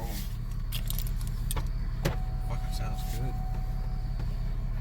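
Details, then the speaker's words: 2000 Pontiac Bonneville SSEI, first start and drive after head gasket replacement, burning off oil: low steady engine hum under cabin clicks, no knocks or misfires; smooth normal idle. "smooth it sounds like a new car"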